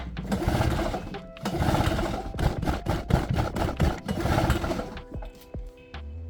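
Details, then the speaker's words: Performance Power NLE850PG 850 W two-stroke generator, won't start, choke on, fuel tap on, little fuel in tank: repeated rough recoil pulls, each a second-long rasp, never firing; carburettor later found clogged and cleaned. "Okay. So, there's no signs of any life at the moment."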